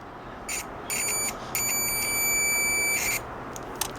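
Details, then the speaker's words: New Chinese multimeter on continuity test with its original small buzzer: short, thin high-pitched beeps, faint against the hiss; the stock buzzer is too weak. "vamos a escuchar aquí el este multímetro quea trae su bocinita original su boer sí se escucha pero no como a mí me"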